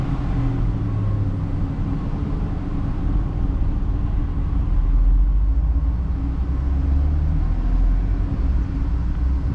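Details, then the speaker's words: Ford F-150 with no-fuel stall and P0174/P0191 codes, before repair, after sitting five minutes: fires up but deep, uneven idle rumble with loping surges around 1000 rpm and shaking; fuel starvation, not fixed. "all right so fired right up idling for now I can feel it starting to shake a little bit but let's see what happens when we give a guess"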